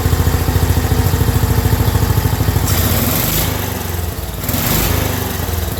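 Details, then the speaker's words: Black Widow go-kart with 10HP Briggs single-cylinder, newly mounted, fuel leak stopped: quick, even popping at idle climbing smoothly to full throttle with no stumbles; runs healthy. "all right well I was able to get the engine running and then getting full throttle and I stopped that fuel leak"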